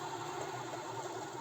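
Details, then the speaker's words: VW Bora/Jetta 1.4 alternator removed and spun by hand, owner complained of belt squeal persisting after replacing idler pulleys. Rough, wavering gritty whir; worn alternator bearings, also a bent rotor shaft and pulley. "ось такий шум видають підшипники"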